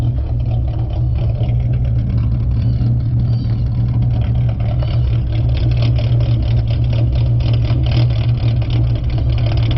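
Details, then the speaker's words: 4.0 V6 Mustang with idle chop tune set to 725, in park after driving: deep loud choppy lope, rpm fluctuating 690 to 790; lopey idle from idle chop tune. "all right we're in park now the rpms i would say 690 to 790 is where it fluctuates it doesn't off fluctuate as much as when it was at seven i mean 675."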